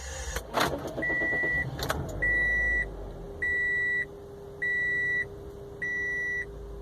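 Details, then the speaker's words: Car with newly installed aftermarket stereo, engine running: thin steady mid-pitch whine under repeating chime beeps, rising and following engine speed when revved; electrical noise leaking into the stereo, which the installer calls a factory defect. "conforme acelero se escucha el ruido como un zumbido y cuando aceleró aumenta más el ruido"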